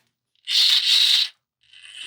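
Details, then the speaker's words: Hobby Plus Terranaut 8x8 RC crawler with a brushless Hobbywing Mini16 and alloy transmission case: a harsh high-pitched gear whir burst, then a thin steady whine while coasting. The owner finds the Mini16 very noisy and plans to recheck the gear mesh. "One of the reasons I don't like the Mini 16 is this noise. It is It is so noisy."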